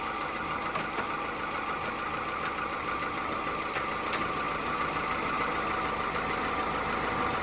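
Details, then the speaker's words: Car bought as salvage, oil leaking from the cam cover: engine ticks over evenly at a settled idle with a soft steady whir, no knock or stumble; a boost-leak-like sound noted, but idling really well. "It's ticking over really well, though."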